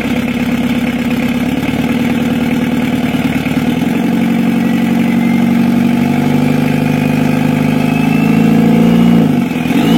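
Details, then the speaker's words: 1982 Toyota HiAce LH11 2200 cc diesel, cold at 38.4 °C, running without thermostat installed: steady low clatter with slightly uneven limping beat; mild rough idle, cause unclear, repair deferred. "airnya masih ada sedikit pincang Lur untuk bunyinya kita biarkan dulu nanti kita baru kita perbaiki ya Lur"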